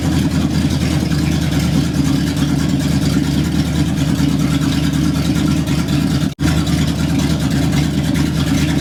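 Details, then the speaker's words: 1960 El Camino V8, first start in 40 years on open headers, neutral safety switch bypassed, timing still being adjusted: loud, deep, steady rumble with an even beat and no misses or knocks; healthy running. "this is just open headers so it's pretty loud and it might be messing with the mic a little bit but we're trying to let it run get the juices flowing"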